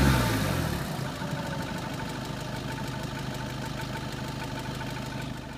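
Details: 2013 Seat Leon 2.0 TDI diesel idling cold, with a fast, loose metallic rattle over the clatter. It goes away once the engine is fully warm; source unknown.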